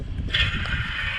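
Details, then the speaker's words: Combustion blower (inducer) motor removed from a small York rooftop unit during heat exchanger replacement: a steady high whir over a rough, uneven low rumble; the motor sounds worn and noisy. "doesn't sound too hot"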